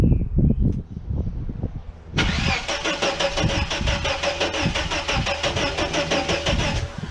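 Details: 1989 Chevrolet S10 Blazer, after everything was reconnected: starter spins the engine at a steady quick chug for several seconds but it never fires; cranks without starting, owner wonders about needing new cords, cause unknown.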